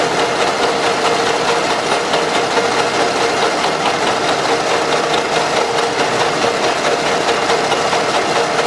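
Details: Running engine, oil rarely changed, heavy blow-by; owners reported strong knock in the engine or near the head: light quick ticking knock about twice a second over even idle from engine top, camshaft axial end play; pressing the cam with a hammer handle stops it.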